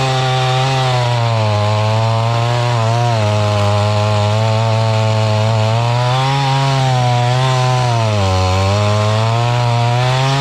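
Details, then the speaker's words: Mantis tiller two-stroke engine from estate sale, after carburetor cleaning and with high-speed screw turned out some: high buzz holding strong speed with slight drift up and down; normal running, carb adjustment still needed. "See what you get when you crank the high-speed screw out some."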